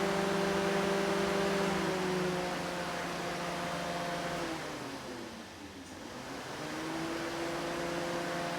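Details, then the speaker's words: Junkyard Dodge Intrepid electric radiator fan on an LS swap with a two-speed relay setup, fan 1 alone switched on through the scanner: a steady, low, even whirring hum under the rush of airflow, running smooth. Normal fan operation. "These Intrepid fans do move quite a bit of air."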